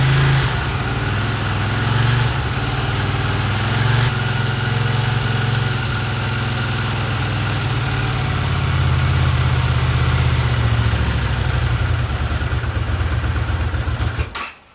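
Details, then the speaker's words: 1982 Honda CX500 twin, neglected for years, carbs cleaned and bench-synced with a welding rod: uneven idle, revs sag and hunt, then engine fades and dies out; carb idle problem suspected, cause unknown. "I'm still struggling with the idle it drops down uh just dies out it runs and then at some point it just dies out there was something wrong with idle I don't know what it is"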